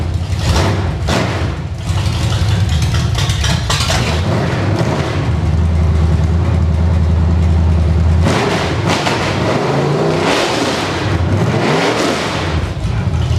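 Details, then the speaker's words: Engine on a test stand, open headers, no load, carburetor running on leftover fuel, water pump belt off: loud raw roar with quick snappy revs and no knocks or misses; sounds better than ever. "And being open headers and no load on it, this motor sounds way better than it ever did."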